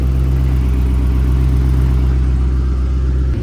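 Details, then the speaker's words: Low-slung car at idle after the headers were loosened and the cat-delete pipe was pulled and refitted: a rapid puffing tick about four per second over the engine rumble; an exhaust leak, later fixed. "Dang it, now it definitely sounds like it has an exhaust leak. Oh yeah, that sucker's leaking."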